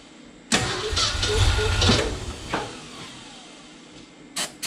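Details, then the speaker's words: 1969 Ford F-250 V8 sat since 2001, freed with transmission fluid, first start attempt: starter churns with few ragged catches that never pick up; firing on a couple of cylinders, owner suspects fluid-fouled plugs and/or low compression. "well it's trying uh probably either that transmission oil got uh fouled at the spark plugs or low on compression or a combination of both but uh it's it's firing on a couple cylinders"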